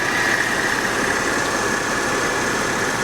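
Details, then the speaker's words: Salvage Porsche 911 Carrera at auction, alternator charging at 14+ volts: smooth, even quiet idle with steady high whine on top, no knocks or misses; normal idle. "driver's side wheels also pointed in the same direction good good good she sounds quiet you can hear it"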